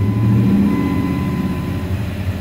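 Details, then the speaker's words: Old truck that stalls at idle: engine idles only with foot on the gas, and when the foot comes off the low rumble wavers, sags and barely holds on or dies; unstable idle. "can hear it's idling take your foot off and then it just dies"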